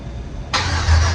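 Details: Cadillac CTS wagon with LS swap and manual conversion, first start made by tripping the starter relay: the starter engages briefly and the V8 catches almost at once, settling toward a deep, steady idle. A clean start.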